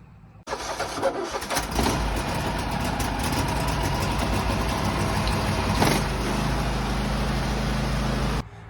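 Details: Husqvarna riding mower with no crank/no start, new battery at 12 V, after a blown fuse was found and a resettable fuse fitted: engine catches cleanly and settles into a steady, even run with no misses or knocks; healthy.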